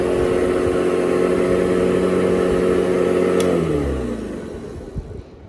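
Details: Hoover Model 28 vacuum motor unit, modified with Hoover Convertible parts to take Kirby HEPA bags: even motor whine holds steady about three and a half seconds, then winds down smoothly after switch-off; running normally.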